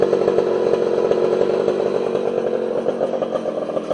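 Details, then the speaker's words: Homelite 240 two-stroke chainsaw after adjusting the low and idle jets on the carburetor: steady, even high-revving buzz with no surging or stumbling; holds speed cleanly and runs healthy. "but that saw runs beautifully that thing cuts like a demon"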